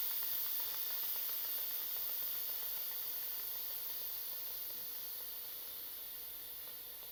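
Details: Instant Pot during its recommended test run: a strong steady hiss of steam venting from the steam release valve as the remaining pressure is quickly released, slowly tapering off as pressure drops. Normal quick release.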